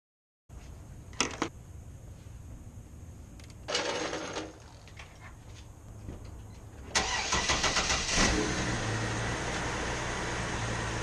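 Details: Chevrolet TrailBlazer 4.2L inline-six after alternator replacement for a grinding noise and hard vibration (failed alternator bearing): after some clicks and shuffling the engine catches and settles into a steady, even idle with no grinding.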